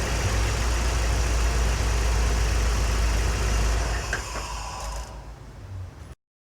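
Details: Scion xB four-cylinder idling with a steady, even low rumble and no stumble or miss after replacing the failed cylinder 2 coil pack with a new Duralast unit, which cured the P0300 misfire.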